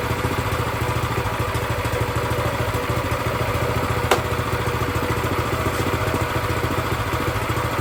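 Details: Brand-new Predator 212cc single-cylinder engine, freshly mounted on a plate compactor, first start with fresh oil and gas: steady, even putter at a settled idle, no misses, knocks or surging after the idle was raised slightly; runs normally.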